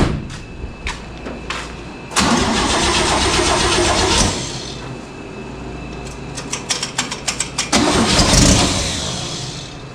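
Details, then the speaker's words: 1970 International Harvester 1100D pickup with a rebuilt, bored engine, start after a distributor swap: cranks, catches and runs with sharp popping, raspy exhaust bursts and uneven blips; loud exhaust-leak-like noise, source unknown. "She popped on. She sounds like a crazy exhaust leak. Where's that coming from?"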